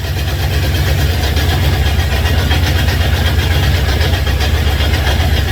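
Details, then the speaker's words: Honda CB750 K2 with 2 of 4 cylinders not firing from a carburetion fault, running out of fuel from a remote tank and very hot, said to be running lean. Loud, lumpy idle down to about two cylinders before it stalls. "It's going to stop. It is going to stop. I think we're down to about 2 pots now."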